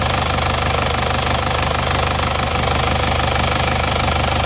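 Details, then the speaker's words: Diesel car with AD plate before overhaul, idling with oil filler cap open: heavy rhythmic chuffing about three pulses a second over the idle; strong crankcase blow-by from worn rings and liners, thick oil-burning smoke. "ini kita sebelumnya ini mobilnya ngobos banget ya fungnya seperti ini teman-teman"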